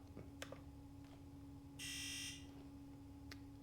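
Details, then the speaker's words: Sea-Doo GTX DI 951 Millennium Edition, rebuilt engine that won't start, Can-Do Pro injector activation test with no faults: brief half-second electric buzz over faint clicks; injector activating as commanded. "Uh oh yeah, it is activating. I'm going to try that and make sure. Yeah, I didn't hear it before, so I wasn't sure."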